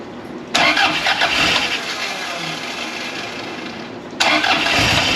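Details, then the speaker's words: 1982 Fiat 124 Spider, first start after the engine was rebuilt twice: it catches and flares to high revs instead of settling to idle. Oil pressure is good; a massive vacuum leak from loose intake bolts or uncapped ports is suspected. "sign man it revs up like crazy so it could be a couple things we could have a massive vacuum leak"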